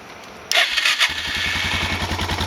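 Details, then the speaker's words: Suzuki DR650 single after its crankcase and airbox flooded with fuel from a failed petcock and float: brief crank, then fires into an even thump with no misses; starts and idles normally. "didn't start quite that easy the first time but it wasn't terrible either had to crank it a little more"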